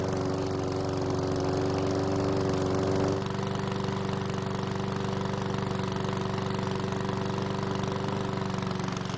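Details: PowerSmart mower's small single-cylinder engine, refilled with fresh fuel after a hard no-start, hums at a steady even beat with a slight pitch drop midway. It was slow to start but runs okay; oil in the muffler burned off as the exhaust heated.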